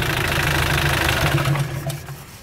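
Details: Mitsubishi L200 Sport GL diesel idling before shutdown: rough clatter with a heavy, uneven knock; oil thrown out after about 40 seconds of running shows a worn engine blowing heavily past the rings.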